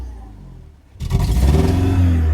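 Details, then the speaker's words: BMW abandoned five years, running badly with a homemade exhaust, revved: loud, uneven, raspy, smoky rev, stumbling and likely misfiring, sounding like an air-cooled VW; cause unconfirmed. "That sounds like an aircooled VW engine. >> It does, >> but also misfiring at the same time."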